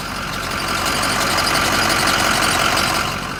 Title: Squeaky Noise?